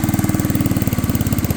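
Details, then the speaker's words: Unknown-year, unknown-brand childhood riding mower/ATV with many miles, jump-pack started on a damp morning while driven to the garage: fast uneven single-cylinder chuffing, about thirteen beats a second with wavering strength; barely runs, rough running, cause unknown. "So I'm going to try to get this thing started, moved into the garage. Just got a little work needs to be done to it. Barely runs."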